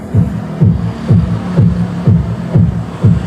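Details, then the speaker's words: Sakura AV757 integrated amplifier, one channel: music comes through muddy and crackly, distorted ("basag"); fault is in the amplifier section, not the controls, suspected rusty parts or a bad transistor upsetting the bias. "Basag yung tunog Ngayon ang problema niyan maing Wala dito wala dito yan sa may control ang problema niyan is dito talaga sa may amplifier niya maing May kalawang na parts or merong sira sira na transistor di normal yung bias nito"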